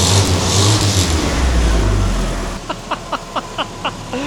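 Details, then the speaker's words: 1950 Willys M38, first start in over 15 years after new wiring harness, fluids and fuel system redo, with a fuel leak: gentle throttle blips, engine picks up cleanly and settles with no misses or knocks. "I gotta hop in here, rev it up for a minute. I'm not gonna go too crazy because, you know, fuel leak."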